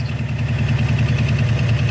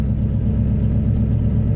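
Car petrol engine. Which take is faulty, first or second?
first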